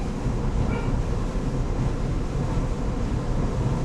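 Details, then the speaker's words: Samsung gas dryer after replacing the failed drive motor (it had hummed without spinning): even low rumble of the drum turning with soft tumbling rhythm, no squeal or thumping, belt settled in; running properly after repair. "Everything seems to be moving pretty well. The belt kind of adjusted itself to where it needs to be. I think we're good."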